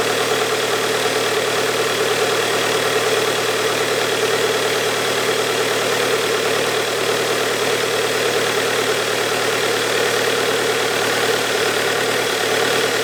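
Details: Bobcat Kubota diesel after a high-pressure fuel pump repair, idling after a clean start: an even, steady clatter with no misses or knocks; the engine sounds healthy and settled.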